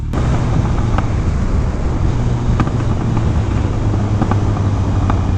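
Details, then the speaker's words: 2018 Kawasaki Ninja 1000 with aftermarket exhaust and flashed ECU, riding on deceleration: deep drone while coasting with sharp exhaust pops about every second on overrun; owner unsure whether it indicates a problem. "that is popping like crazy on DSL I don't know that is probably not a good thing just a guess"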